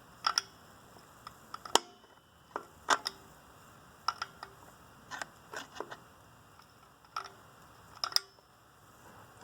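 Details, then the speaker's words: 1999 Tracker rear drum brake assembly, lever worked by hand: sharp single clicks in a quiet shop as the self-adjuster lever ratchets one way and holds the other, working normally. "I can push in and that lever is holding it I can pull it towards me I'm gonna just just fine you can see that the power lever clicking you can hear it"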